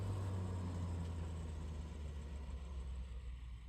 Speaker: nice it works everything's working so now that we got the test tests out